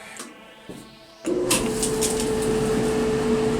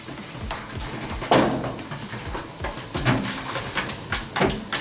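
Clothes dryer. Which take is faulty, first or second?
second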